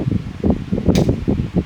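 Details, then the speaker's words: 1996 Lasko 16" Model 2116 oscillating pedestal fan, mid-to-late-90s thrift find: motor hum with a rough pulsing buzz about twice a second; fan runs great but buzzes when oscillating, cause not yet found. "The fan does run great, But doesn't sound good when it oscillates some reason cuz I can hear buzzing from the thing."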